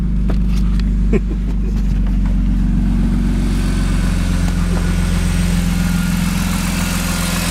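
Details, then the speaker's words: BMW E36 M3 after fuel pump and damaged wiring connector replacement, test start: deep, smooth six-cylinder idle holding a steady low rumble with no knocks or misses; the engine runs healthy. "so let's see if it actually works if it'll start up here [Music] [Applause] that sounds good"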